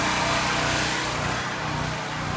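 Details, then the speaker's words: Powerhorse generator unused for over a year, just after a carburetor replacement, warming up once the choke is off: even, buzzy small-engine drone, revving at first before it stabilizes, and smoking hard at the start; it now runs smoothly. "the generator takes a while you hear it revving like that takes a while for it stabilize"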